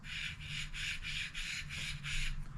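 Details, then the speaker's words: Old mechanical water pump removed from a BMW F30 340i B58 engine with a coolant leak below the pump, spun by hand: gritty rasp pulsing about three times a second instead of buttery smooth, rough bearing. "it should never ever make that noise it should be buttery smooth"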